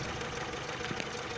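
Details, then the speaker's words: 1979 distributor-and-coil car after an ignition coil improvement, warmed 3–4 minutes with choke fully opened: even idle, steady beat, light ticking, slight vibration, no stumbling; normal warm idle. "and right here now I have totally opened up the choke throttle and the engine has a totally different uh Behavior totally different sound the is a little bit of vibration you can see"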